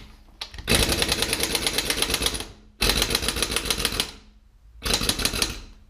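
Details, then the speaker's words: Impact wrench on a 1993 C4 Corvette suspension job gives rapid hammering bursts that fade and die within a second or two, starved of air; supply hose to the compressor was found kinked. "i think we ran out of air better go check the compressor i may have forgotten to turn that on"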